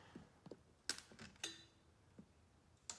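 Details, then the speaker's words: 2004 Polaris Predator 500 being rebuilt: with the key on and the engine not running, a relay in the pouch chatters with irregular light clicks about twice a second. Rough running was traced to a loose battery cable; the relay is suspected too. "And that thing in the pouch right there, that was clicking when I had the key on and making noise."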